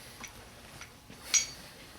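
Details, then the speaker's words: SU carburetor on the bench: the piston is lifted by finger and released, giving a sharp metallic clink then a softer clunk as it drops freely and seats, as it should; a sticking piston would upset the idle. "you should be able to reach in there and pull it up with your finger easily and you should hear that clunk if you don't hear that clock it's not dropping freely"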